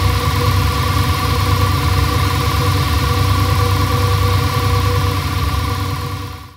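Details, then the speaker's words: Audi S6 C6 V10 after replacing both high-pressure fuel pumps (one leaking at pressure sensor connection), fault codes cleared: quick start, steady even idle, no knocks, misses or ticking; normal start and idle. "So, jetzt habt ihr den Start gehört. War eigentlich in Ordnung, hätte ich gesagt."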